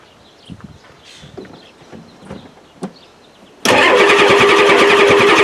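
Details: 1993 Ford F-250 7.3L IDI diesel with new injectors; the pump is suspected badly out of time. After a long crank while revved to redline, it suddenly catches into a loud, fast, steady clatter. Slow to fire; a worn water pump squeals the belts.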